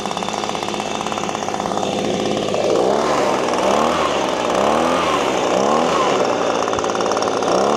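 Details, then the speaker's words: Echo PB-250LN handheld two-stroke leaf blower, 6 years old, warmed up at full throttle before an air filter replacement: buzzes and surges but never climbs to a clean high scream, so it will not rev out. "All right. It's just not getting over that peak where the RPMs are kicking in and where two stroke two-stroke engines shine where they rev out. It's just not doing it."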